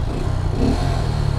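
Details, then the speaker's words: Honda Grom idling: fast light metallic tick on the exhaust note; owner found it was the heat shield. "my bike is ticking a little bit which is not too great but hopefully it's just I don't know just something not my engine about to blow up"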